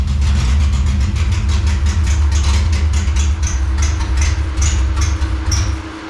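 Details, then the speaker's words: 1957 Chevy delivery with Hilborn mechanical injection, just after cold start: heavy low rumble with sharp irregular pops, two or three a second, seeming okay once warm; popping taken as a still-lean condition. "Not super encouraged because there was definitely a fair amount of popping, as you probably noticed at least when it first fired up. Once it warmed up, it seemed like it was okay. So the popping is usually an indication of a lean condition still."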